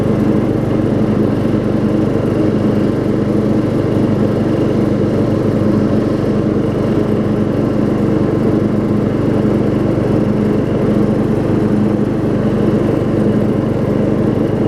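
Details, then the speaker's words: Craftsman LT4000 rider, circa 1994, with a 12.5 hp Briggs single and 38-inch deck, after carb adjustment: a steady, even single-cylinder drone with no misses or surges. Flywheel is missing teeth but the mower starts and runs fine. "the flywheel would probably eat almost all of my profit off of this mower and it does start and run just fine"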